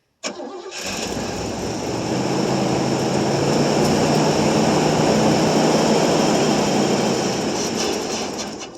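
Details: 1989 Pontiac Safari wagon off the road 18 years, cold start at about 40°F, possibly on old gas; it cranks, catches, runs evenly for several seconds, then fades and dies. Owner suspects a fuel problem or mud in the tailpipe; cause unclear.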